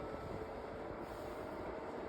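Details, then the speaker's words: Cascade 40-inch tower fan, secondhand, running on speed two: steady loud rushing hum with faint whine, speeding up and slowing down, much louder than a newer fan; loud fan noise, source unclear. "I mean, it's blowing some decent air. But that noise is terrible. This one is obviously louder than the one that's in my classroom."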